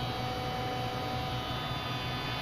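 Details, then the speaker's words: Mazda 626 with a newly replaced fuel pump, after a pressure test showing 44 psi that leaked down to 23 psi after eight minutes: steady high-pitched whine over a low hum; the owner worries the pump is unusually loud and may burn out. "i am a little concerned with how loud that that noise was coming from the fuel pump and i'll engage it and let you hear that come out here hear how loud that is"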